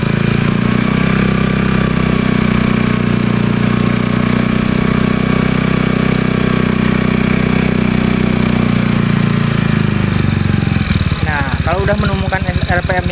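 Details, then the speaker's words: Honda Beat carbureted scooter with a new PE24 CPO carburettor, after the air screw adjustment and idle reset: a steady, even, smooth low beat that holds without hunting or stalling. Normal idle. "kita tinggal kita setel setelan gas ya kita langsamnya kita normalkan"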